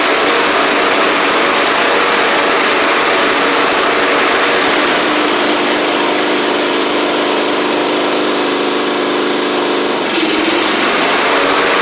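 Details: Troy-Bilt Pony mower with swapped-in Briggs & Stratton flathead (replacing Powermore; new Briggs carburetor, 12.5hp air filter), final test with hood back on and fresh oil: steady, even drone at constant pitch, no knocks or misses; normal running.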